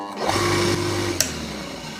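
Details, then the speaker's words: Household water pump motor that often won't self-start, winding found good: steady low electric hum while failing to start, then it rises quickly and runs evenly once spun by hand; a faulty run capacitor prevents self-starting. "देखिए यहां पे फिर मैं चालू कर रहा हूं। तो ये चालू नहीं हो रहा है। गूं की आवाज कर रहा है। यह चालू नहीं हो रहा है।"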